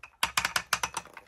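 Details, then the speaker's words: Kyosho Optima Mid (WC 87) RC car, rear shocks moved for more adjustment, 458 oil front and 350 rear: sharp irregular clicking bursts, about eight in 1.5 seconds, as the drivetrain turns; rear diff stripped again, as last time. Gear diff planned. "you can hear that I'm pretty sure I know exactly what that is and that the rear diff has gone um as it did last time"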